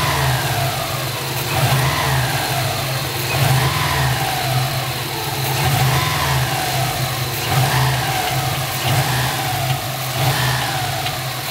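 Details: Subaru engine, revs repeatedly raised and released: a tinny metallic rattle appears from the turbo area as rpm falls back toward idle; source unconfirmed, reported as engine knock.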